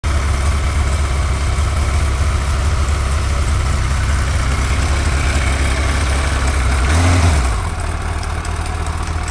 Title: GSXR 1100 ticking sound